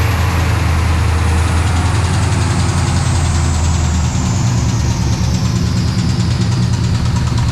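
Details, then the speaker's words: 1999 Chevrolet Camaro SS (SLP HOSS) with swapped 5.3 V8 on the dyno: deep heavy idle with dull metallic knock in the bottom end; metal-on-metal, something broken. "that's whatever that is that's that's a metal on metal that's not not a good sign"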